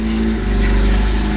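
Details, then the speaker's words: Honda Civic EG with a K20 swap on its first start, fuel pressure just under 30 psi and no coolant yet: it fires right off into a strong, even low rumble with no knocks or misses. Normal start-up. "fired right off baby daddy"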